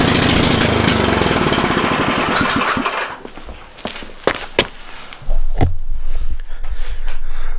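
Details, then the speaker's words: Snowblower small engine, cold, on full choke after a no-start repair: it catches and putters quickly and evenly for a few seconds, then settles amid some clunks. It runs normally and is back in working condition. "little bit of ballet to get that moving but looks like it's back in working condition that's great"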